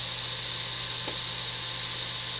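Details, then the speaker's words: Breville Smart Toaster Oven repaired (spring replaced, parts realigned), air-fry mode: a steady, high fan whir, even with no wobble or scraping, drawing 14 amps; convection fan spins freely and fast, healthy. "let's do an airfry and let's start oh listen to that fan go that is really uh fast"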